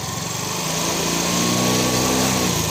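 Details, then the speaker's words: Yamaha Fino 125 with low-rev stutter and weak mid-upper power, started during diagnosis with the injector set aside: idle now okay; gentle throttle revs climb smoothly, no stutter or misfire; clean, healthy response. "Oke, untuk langsamnya sudah oke ya. Kemudian saya akan tarik pelan. Nah, kita tarik pelan, sudah meraung dia."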